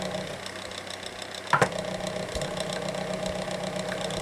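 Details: SMC TF-6 6-inch 2-speed desk fan, likely late 1990s, extremely high hours: steady hum with a light regular rattling knock, somewhat out of balance; worn bearings with excessive shaft play; thick oil considered only a short-term fix.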